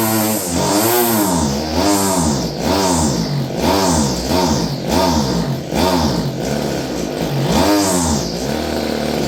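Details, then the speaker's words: Stihl FS56 curved-shaft two-stroke string trimmer, about 30 years old: surges up and back about once a second, won't hold high speed unless choked; owner suspects gummed carburetor needing work, cause unconfirmed. "No high speed, unless you choke it. Yeah, needs carb work, eh?"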